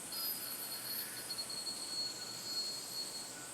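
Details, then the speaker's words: Fingernail test on a spinning 303 Ti5 yoyo: faint steady high singing tone with no rattle, a very smooth bearing with no vibe. "can hear just tiny like almost like a singing sound but no rattle at all"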